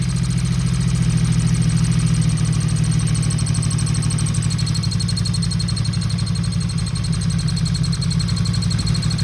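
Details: 1977 Yamaha XS 750 at idle before carb teardown, fuel possibly gone off, aftermarket air cleaners: lumpy idle with uneven mechanical chatter; owner suspects cam/valve area or a vacuum leak.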